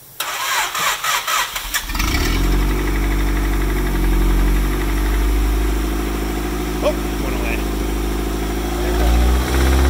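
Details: Honda engine after rod bearing replacement, new distributor O-ring and an oil refill of three and a half quarts: it cranks, catches and settles to an idle with a faint light knock under the drone, which later seemed to smooth out; the cause is unclear.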